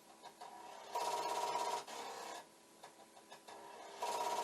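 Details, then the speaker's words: Commodore 1541 disk drive for the C64 head-banging on failed reads: rapid buzzy rattling bursts with a ringing tone from the head knocking against its stop, constant, never recovering to a flashing light. "it's very constant and but the head banging sounds good see what it should do if it suddenly decides it's okay is the light should just start flashing and the head banging should stop"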